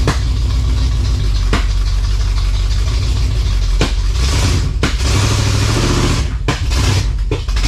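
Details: Abandoned 1956 Chevy V8 with high-stall automatic, first run: uneven loping idle with occasional sharp pops, sounds like a cylinder missing; cause not confirmed.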